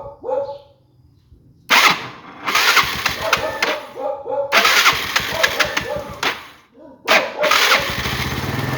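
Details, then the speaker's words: Yamaha Fino scooter with slipped cam chain, reassembled with the chain tensioner extended as a temporary fix (chain likely stretched), battery charged, good compression: several cranking bursts, then it fires and settles into a rough, uneven run; engine starts. "เฮ้ๆอ่ะติดนะครับท่านผู้ชม"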